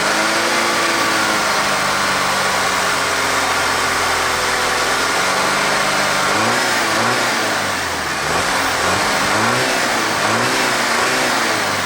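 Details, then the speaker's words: Audi engine first started after a timing job and camshaft replacement, previously no compression: uneven, stumbling, crashing beat at idle that smooths somewhat when revved. Scanner shows a cylinder 4 misfire, later attributed to ring damage. "well this beautiful beast does run but as you can tell by the crashing going on under the hood there it's got a misfire"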